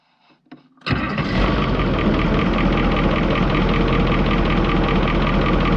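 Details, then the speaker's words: Caterpillar 3208 diesel, not yet warmed up: brief cranking, then a quick catch into a steady, even diesel clatter with a smooth rhythm and no misfire, trying to build air; running healthy. "so got complaints we got a fix on it she's a runner sounds like she's trying to build air"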